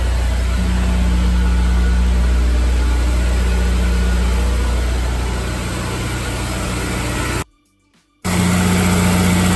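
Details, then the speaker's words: Honda S2000 DOHC VTEC started cold after valve adjustment (valves had been too tight), previously misfiring slightly when cold: steady, even idle with smooth low hum and no stumble or miss. "sounds pretty good so far before I had kind of a myth from so the car is now warmed up and listen to it"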